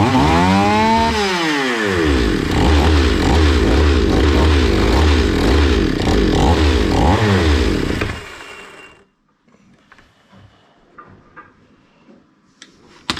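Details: Zomax 5020 two-stroke chainsaw, carburetor cleaned but still stalling; revs unevenly about eight seconds, surging up and down, then dies on its own, before carburetor mixture screw adjustment.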